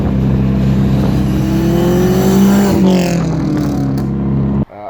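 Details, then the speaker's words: Mazdaspeed 3 recorded from outside while driving close by: light metallic whine rising over the engine only on throttle, vanishing when off throttle; cause not found. Metallic noise under throttle. "I could hear that metallic noise when he was getting on the throttle, but it was only whenever he was on throttle I could hear it. Whenever he let go, the noise went away"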